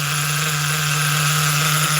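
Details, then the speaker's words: Force .25 CNC nitro engine in an HPI car, on only its second heat cycle of break-in: a steady buzzing drone that never climbs higher, idle slightly high; it runs too rich up top to reach full RPM. "she can't even get all the way up into the RPMs yet. She's still so rich up top."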